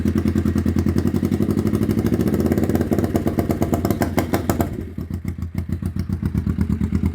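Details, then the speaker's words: 1991 Kawasaki EN500 Vulcan twin idles nicely, but with a little throttle its beat sags, bogs and stops; owner suspects rich or lean running, air leak or blockage, though says everything is checked. "I turn it on, it will idle nicely. Um, and if I give it a little bit of throttle, it just starts to bog and stop."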